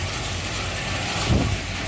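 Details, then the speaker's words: 1978 Ford Courier warming up after new lower radiator hose, changed thermostat housing and electric water pump with bypass blocked: smooth even idle, steady low rumble, no misses or knocks; normal idle. "so far no explosions and that's good yeah and you can hear just how nice it idles"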